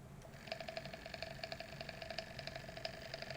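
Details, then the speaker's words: Eclair ACL film camera motor after removal and reinstallation (the motor had come loose; a screw may be missing): fast, uneven metallic chatter over the motor whir, like something flapping inside, which it didn't used to do. Cause unclear. "you can hear that something flapping around it didn't used to do that's it"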